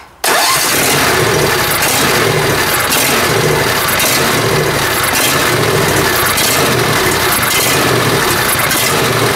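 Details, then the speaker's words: John Deere Z355R zero-turn mower with Briggs Intek engine: it catches and runs but hunts, its note rising and falling about once a second. Owner suspects an internal carburetor issue; the choke linkage was also adjusted. "So I think we have a inside the carburetor issue going on here."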